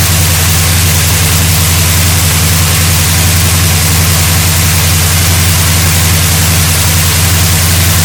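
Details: 1972 GMC Sierra Grande with a newly installed replacement V8 (electric choke, new gas tank), first run in 9 years: deep, even rumble with a steady beat, no knocks or misses; settles into a normal idle.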